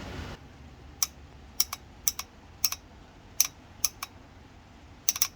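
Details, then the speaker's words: Propex Heatsource HS2000/HS2800 LPG heater that tried to start then shut off, solenoid powered directly from a 12 V battery: sharp, crisp clicks, often in close pairs, as the gas solenoid valve snaps open and shut; gas solenoid valve clicking open normally. "so by activating this you'll hear a clicking noise I'll just do it now this takes 12 volts so I'm just using a battery"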